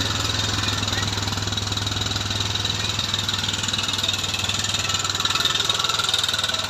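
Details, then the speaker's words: Bajaj Discover 150 at idle: fast, light ticking about four per second over the engine; worn rocker arm rubbing, found on teardown. "তো এখানে আমরা যেটা আরেকটা সমস্যা পাইছি, দেখেন লকার এখানে গসতিছে।"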